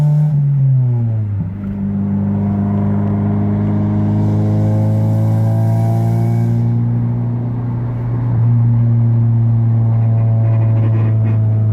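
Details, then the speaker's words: 1993–1997 Honda Del Sol under acceleration around 3,000 rpm with cheap aftermarket muffler: deep booming exhaust drone climbs with revs, drowning out the radio; muffler far too loud. "like I can't even hear the radio when I'm driving with the windows down I can only imagine when I take the top off and I'm barely doing 3,000 grand and is that loud"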